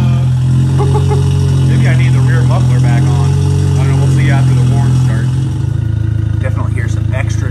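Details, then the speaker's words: VW Passat 1.8T with JB4 tune and newly installed CTS turbo 3-inch downpipe, cold start: loud raspy idle holds high, then revs dip and settle unevenly; owner unsure why the revs hunt up and down. "i'm getting this weird kind of uh up and down rev during cold start lately i don't know what that's about"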